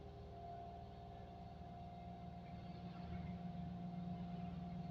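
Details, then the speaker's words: Daihatsu Ayla in neutral without handbrake, AC off (worse with AC on): idle sits high and surges, roaring erratically and not dropping; high erratic idle from faulty ISC (idle speed control) valve needing replacement. "Meraung-meraung nggak jelas gitu."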